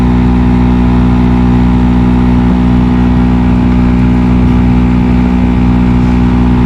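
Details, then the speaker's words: 2019 Nissan Sunny AC blower at speed 4, full speed: loud, steady droning hum with strong low vibration throughout; worn blower motor bearings. "अंदर fan इसका full speed में चल रहा है मगर बहुत ज़्यादा वाइब्रेशन है इस जगह के ऊपर और बहुत आवाज़ कर रहा है।"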